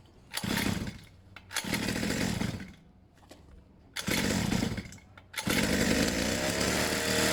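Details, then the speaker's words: Pit bike single after choke fix, choke stiffened so it no longer slips, choke fully off: engine buzzes up on repeated throttle blips and drops back cleanly, pulling crisply with no stumble; normal running. "so what was happening was to choke itself was slipping and moving so I stiffened it up a bit it sounds much better now with the choke completely off"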